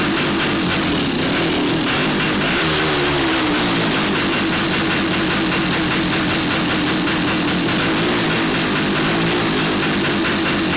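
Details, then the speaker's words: 1975 Yamaha DT400B two-stroke barn find, sat for decades, first run after no-spark fix: ringing metallic piston slap from the cylinder top over a buzzy idle; compression good, rebore and crank rebuild planned. "Sounds just like a DT400, got a lot of piston slap. You can hear it ringing in the top of the cylinder head"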